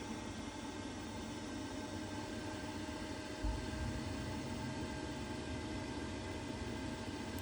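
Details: Boiler on a no heating, no hot water call, switched on after reassembly: steady, even fan rush with faint constant hum, no rattles or surging; fan running smoothly.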